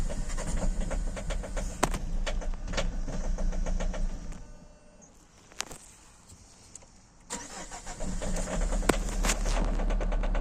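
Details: 2008 Citroen C5 X7 with a no-start, where the fuel pressure regulator and fuel pressure are in question: steady starter churning at about four beats a second that never catches, then more cranking. It turns over but won't fire; the cause is not confirmed.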